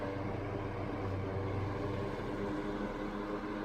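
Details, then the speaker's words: 1992 Super 8" box fan model BF1000 (120VAC 30W, 3-speed shaded-pole C-frame motor, plastic blades), serviced and well balanced, on medium speed: smooth steady hum and air rush, more airflow than low, no knocks or rattles; normal running. "not a whole lot of difference between the three speeds but the airflow certainly increases when you switch between the speeds now it's moving a good amount air"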